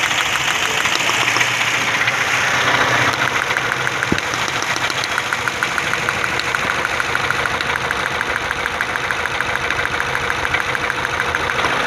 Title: how to check misfire